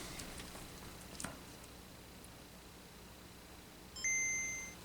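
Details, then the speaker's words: Non-booting Game Boy DMG, third power-up: bright two-note boot chime over quiet hiss, a third good boot in a row, not yet confirmation of repair. "We have a third good boot. That is very exciting, but not sup that's not confirmation."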